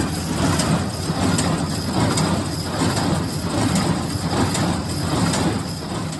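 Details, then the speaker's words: New Holland 311 square baler after replacing the feeder tine bearing caps and a welded part: steady rhythmic feeder clatter about once a second, no rubbing or wobble; runs smooth and healthy. "I think we got it, and it's running pretty smooth. My baler didn't blow up when I fired it up, so that's all good."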